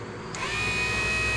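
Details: 1972 Mercedes-Benz 280 SE 4.5 (W108) AC cabin blower motor, bench-run on a battery after cleaning and lubricating its shaft bearings to cure screeching: spins up within a fraction of a second to a smooth, steady high whine with no grinding or ticking; healthy.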